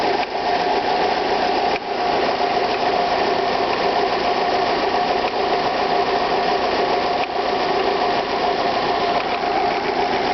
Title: alfa romeo 156 1.8 ts, ticking noise with warm engine